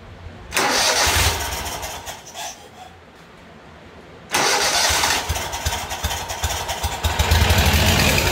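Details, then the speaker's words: Great Dane Chariot zero-turn with a Kohler CV730 (Command Pro 25) that has been cutting off, started with a little choke. It cranks and catches, dips briefly, then recovers and keeps running steadily on its own for a minute: normal start. "The key is, will it stay running? I'll let it sit here a minute. I'll be right back with you. It's been about a minute. She's still running."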